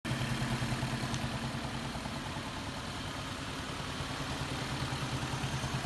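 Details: Lexus IS300 2nd gen petrol engine at idle: a steady low thump-clatter of about three knocks a second that began a month ago and is getting louder; owner fears rod knock, cause unknown.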